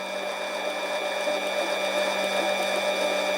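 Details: Harbor Freight 7x10 mini lathe turning aluminum tube: steady motor whine with even hiss of the bit cutting continuously, no chatter or interruptions after earlier interrupted cuts over a dented spot; smooth continuous cut.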